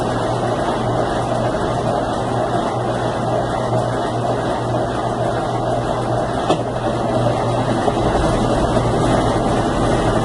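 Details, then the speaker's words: Consul Facilite 10 kg washing machine during spin: steady heavy droning hum with low thrum, described as a helicopter-like noise from inside the machine; loud noise during spin, cause unknown. "vou dar uma olhada nela pra gente descobrir o que pode estar fazendo esse barulho de helicóptero dentro da máquina."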